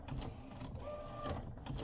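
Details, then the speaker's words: Refurbished replacement Epson P906 printer after a technician visit with no change: busy mechanical clatter and rattle as the print head travels, with a brief squeak midway, getting worse; the owner suspects a blocked wheel or a printer-base mechanical issue. "So it's definitely a mechanical, to me, there's definitely a mechanical issue, either a wheel that probably block or whatever, or at the printer base."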